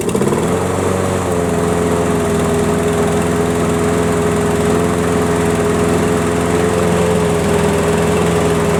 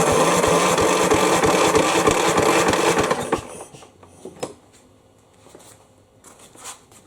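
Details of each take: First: Craftsman riding mower model 917374552, no-start fixed, fresh fuel, key start outdoors: starts clean, steady even single-cylinder drone with no misses or surging; runs healthy, battery seems low. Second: Craftsman mower, model 917.374552, with 60 psi compression, tried outdoors with the air cleaner removed: even cranking pulses, about three per second for three seconds, then stops without any firing; cranks but won't start.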